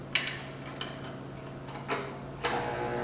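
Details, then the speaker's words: 1969 Cub Cadet 105 tractor, battery on a 2 A charger: sharp irregular clicks, about five in three seconds, when the key is turned, no cranking; power is reaching the system, cause of clicking unclear. "It is definitely doing something, though, when I turn the key. So there is definitely power getting to everything, so that's good."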